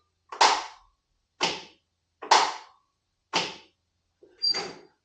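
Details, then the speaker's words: 1980 Craftsman Indy 500 lawn tractor with a new battery: a sharp single pop about every second on trying to start, with no cranking. The failed starter solenoid was not passing power to the starter; replacing it fixed the tractor. "I get a pop and then nothing so I'm assuming that's probably the Ceno so I don't have any power pass the solenoid to the actual starter and that must be the solenoid popping"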